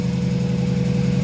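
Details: Mazda 3 gasoline engine at idle, misfire questioned: low idle with a slightly uneven, pulsing beat rather than a smooth hum; rough idle, possibly a misfire.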